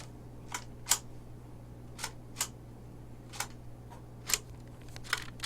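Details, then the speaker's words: Reese 370A mortised automatic door bottom with sponge neoprene insert, in a wood door: sharp light clicks and snaps in pairs as the seal drops on door closing and springs back up; normal operating sound, which a rare customer found unacceptable. "You hear the operation. You hear it work. You hear it snap back up."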